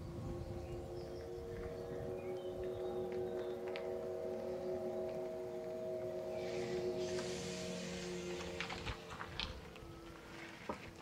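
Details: MG ZS EV pedestrian alert sounder, recorded outside with a microphone: steady soft layered hum of several low tones held evenly over quiet tyre and road background; the sounder is working normally.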